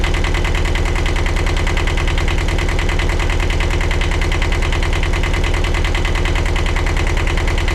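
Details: 1982 Catalina 30 marine diesel after replacing the blocked exhaust manifold, refitting thermostat and rebuilt water pump: deep, even chug at steady idle with regular firing, no misses or extra knocks; normal idle.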